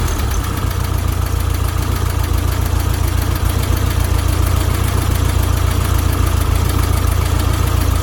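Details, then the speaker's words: 1972 VW Beetle 1200 restoration, started after rechecking and re-setting loose valve timing, before an oil change. Even, regular flat-four chuff at idle, about 3.5 beats a second, no ticks or knocks; sounds much better, oil pressure light out. "but first let's start it up and see how it runs wow it's already here just how much better it sounds"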